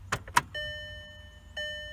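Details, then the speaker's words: 2007 VW Jetta GLI 2.0 turbo after coil packs, spark plugs and high-pressure fuel pump cam follower replaced, key on before starting: clicks then an even electric hum about a second, repeated; normal fuel pump priming. "I'm just going to turn the key to let the fuel pump Prime I'm actually going to do that a couple of times just to get that system"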